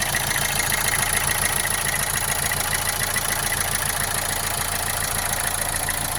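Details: Opel Astra J 1.7 CDTI diesel idling steadily with a sharp, regular knock over its clatter and vibration, started after an oil change; otherwise runs well with no smoke, cause unknown.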